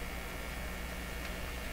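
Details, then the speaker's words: Westinghouse Model 1029 multiband tube radio on a shop supply, B+ near 150 V, just under 25 mA, without its correct speaker: at volume up, a gritty low buzz under faint hiss with no station audio. The output buzz has an unknown source. "volume up a little bit of a different buzz this time what's the buzz tell me what's happening"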